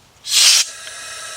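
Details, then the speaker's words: Chevy Cobalt 2.2 engine after timing chain replacement, leak-down test: only a short, faint puff of air hiss, then quiet; cylinder holds pressure, valves sealing, none bent. "see that's good that mean now see that little ear you heard that was good"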